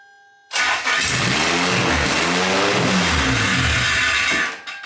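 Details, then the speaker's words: Toyota MR2 Spyder with swapped Honda K24 engine, first start after fresh oil, new exhaust header and coil packs reconnected: cranks, catches first try and runs loud and strong for about four seconds before shutting off; healthy first start. "cool that was Extremely Loud Mary it's still pretty mind-blowing to me that it started that easily"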